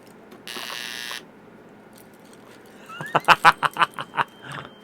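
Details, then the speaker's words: Commercial Christmas light zap box firing into a light string with broken wires and some bulbs completely missing: a short harsh buzz then about seven sharp buzzing pulses; bulbs won't light, the missing-bulb socket arcs. "so this one some of the bulbs are are completely gone so it's one of those situations where you can actually plug it into the zap box they're not going to light"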